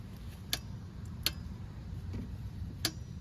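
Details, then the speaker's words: Torque wrench on the oil filter of a Volkswagen 1.4 TSI EA211 engine, second pass at 22 Nm after a first at 20 Nm: a few crisp, isolated snaps in a quiet background as it breaks over at set torque. "está otra vez es un mínimo de vuelta lo que se da simplemente corroborar que la aprieta está donde es aquí la herramienta ya nos está botando el seguro de que ya está apretado a esta especificación de torque"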